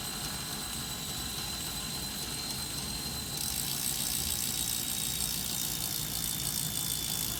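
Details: Wahoo Kickr Snap smart trainer, while pedaling or coasting: loud harsh whirring rush with a high whistle, jumping louder partway, steady not rhythmic; new abnormal distorted noise, cause unknown.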